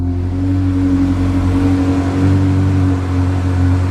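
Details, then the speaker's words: 2002 Ferrari with installed track exhaust, on a test drive after a cold start and after all brakes were bled; deep steady exhaust burble with a strong low drone, even firing, no knocks or rattles; healthy engine. "And because we installed the track exhaust, it's a whole experience, guys. Even just at 3,000 revolutions per minute, just driving calmly, it's really such a cool thing, really."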